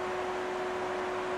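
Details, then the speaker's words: 2010 BMW 535i E60 N54 engine at startup after intake-valve walnut blasting, fuel rail pressurized; loud steady rushing whoosh and hum as the cooling fan runs full blast, owner unsure whether it thinks it is overheating; little exhaust smoke. "For some reason, it's got the fan on full blast. I don't know if it thinks it might be overheating, but yeah, you can hear it, it's really loud."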